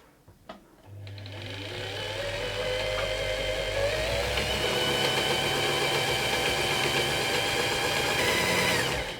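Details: Singer 328P sewing machine after fitting a new bobbin winder rubber: motor spins up to a smooth, even high whir holding steady speed; bobbin winder runs properly, no automatic stop.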